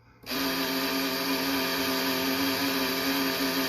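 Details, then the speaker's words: Ghostbusters Ecto-1 model kit, issue 34 (parts 127-130), first light bar just mounted and switched on: sudden steady high buzzing whine with hiss for about 3.5 seconds; its small motor is noisy, cause unclear. "it's not terrible um it's it's gonna make noise i mean you can't have this silent"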